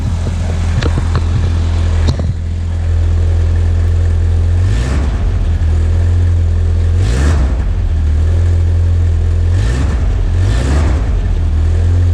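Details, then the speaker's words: 1986 Ford Aerostar, 2.3 L four-cylinder with 5-speed manual and rear-wheel drive, cold and stiff after storage: steady deep idle with a few quick blips that rise cleanly and fall back, a burbly, punchy exhaust rumble; engine sounds healthy. "So it's got a nice punchy, it's got like a nice sort of burbly, farty rumble."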